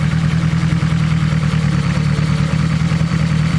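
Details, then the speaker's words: Turbo 1.8 Chevy Cruze after new timing belt, pulleys and tensioner fitted: smooth even idle hum with the previous belt rattle and slop gone; belt drive sounds healthy, normal. "Oh, much better. That belt noise, that rattle that we had there before is gone. The slop is gone."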